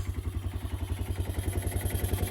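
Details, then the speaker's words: Old four-wheeler (ATV) sitting for years, now running with a clean fuel filter. Steady, even low putter at idle with intake hiss and a little smoke expected to clear; no knocks or ticks, healthy idle. "It's idling great for how long it's been sitting. A little bit of smoke, but it'll probably clear out eventually."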